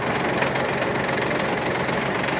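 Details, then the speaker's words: Shibaura P17F Japanese mini tractor, 17 hp three-cylinder diesel, cool weather with only a 10–15 second warm-up, rotary tiller engaged and clutch released: steady, even diesel clatter at constant speed, no misses or knocks; everything works cleanly, normal running. "Давайте включим фрезу посмотрим как работает отличается очень легко спускаемся сцепление все функционирует абсолютно все работает четко"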